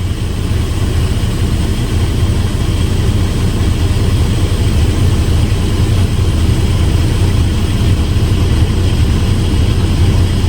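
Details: Mercedes truck diesel after AdBlue fault master reset: deep, steady idle with an even beat, nothing knocking or whining; engine runs smoothly and healthy.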